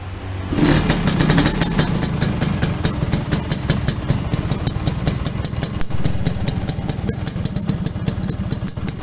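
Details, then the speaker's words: Restored Yamaha V80 two-stroke (said to be 1980) with an opened-up exhaust tuned for a crisp but stock-level sound: even popping at a steady idle, regular beats with no misfires or rattles; healthy engine. "knalpotnya juga sudah kita bobok teman-teman jadi suaranya benar-benar garing garing garing tapi garing standar gitu ya jadi enggak garing galak gitu"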